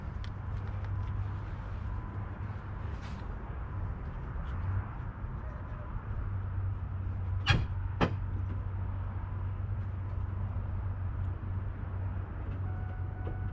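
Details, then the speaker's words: 2006 Ford F350 5.4 running normally after alternator replacement, reading 14.3 volts: low smooth engine hum settling into a steady run, a couple of sharp knocks from handling nearby. "iron hole there you go reading that 14.3"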